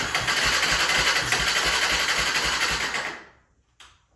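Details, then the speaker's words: 1996 Honda FourTrax 300EX ATV with airbox disconnected, after the starter solenoid was reconnected: catches and runs a quick even patter about three seconds, then fades and dies; owner suspects the junk carb and missing airbox. "So, as you can tell, it does start up. Um, it does run, but it won't stay idling. Um, I definitely think that's because either our car is junk, but also because we don't have our airbox hooked up."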